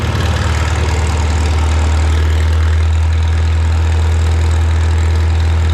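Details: Farmall Super M tractor being prepared for the Mackinac Bridge crossing, just started with the choke and throttle levers, clutch depressed. A deep, steady low-pitched idle with an even chug and no knocks or misses. It runs healthy.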